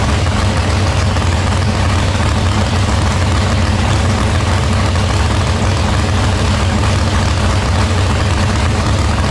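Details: Engine back in after a broken valve, new rocker arms: steady, deep, even idle, no knocks, misses or rattles; running healthy.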